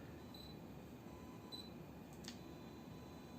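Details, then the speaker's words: Yongnuo 42.5mm F1.7 lens on Micro Four Thirds camera, indoors: two faint high chirps and a soft click as the electrical autofocus motor hunts back and forth; normal focus noise. "You can hear the focus too, eh? It's got that electrical"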